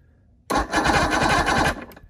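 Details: Vintage Evinrude V4 two-stroke outboard after winter storage, bumped over with no water and the cover off to check power: just over a second of brisk, even cranking with regular compression pulses. Healthy starter.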